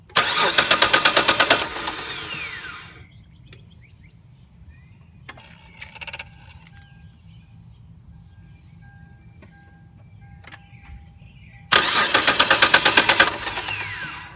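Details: 2001 Mitsubishi Galant V6 that suddenly stopped while driving home: two bursts of fast rough cranking with a harsh whirring edge, engine never catches; owner suspects the alternator, unconfirmed.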